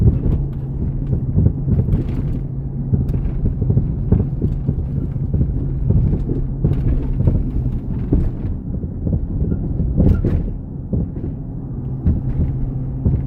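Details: 2004 Jeep Grand Cherokee WJ 4.0 with SelecTrac and 4" long-arm lift, driving slow and on the highway: road rumble with irregular hollow clunks and rattles over bumps; loose long-arm flex ends and worn driveshaft U and CV joints.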